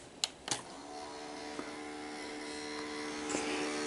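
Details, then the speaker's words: RCA VKT 650 VHS VCR after power supply capacitor replacement, in play a couple of clicks then a thin steady motor whine with nothing engaging; belts turned to goo, motor spins but cannot drive mechanism, before belt replacement. "you can hear it trying to spin and it won't do anything so that's definitely belt related issue so we're getting a lot further"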